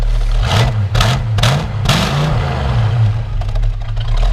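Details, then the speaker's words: 1965 Ford Mustang GT, original 289 with GT exhaust, started and revved: deep even V8 burble with several quick clean throttle blips rising and falling smoothly; normal healthy revving. "I love the GT exhaust, the sound of it. Go ahead and rev it up a little bit."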